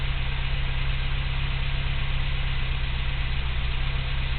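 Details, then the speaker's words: 1987 Toyota 4Runner 22RE with original ECU refitted: low idle with an uneven, lumpy beat and slight RPM hunting; owner suspects a misfire, cause unconfirmed, a rough idle. "feel the same this and I also have some odd stuff you know just like these are pretty reminiscent videos uh with a little fluctuation of RPM"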